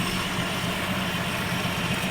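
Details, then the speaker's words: 1970 Ford Maverick two-door with the 200 cubic inch inline six, recorded at the engine while idling: a smooth, even low idle with a steady hum and no knocks or misses, a good motor. It probably needs a thermostat and cooling system work. "But I mean, that thing just purrs, man. I mean, you can tell that's a good motor."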